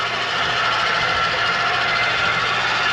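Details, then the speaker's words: Stabilizer jacks on a 2013 Sunnybrook Raven 3250RE travel trailer running down one at a time on an already-level unit until taut; steady, even electric motor drone and whine with no strain, normal stabilizer jack motor operation. "as you see these will run themselves down one at a time sometimes"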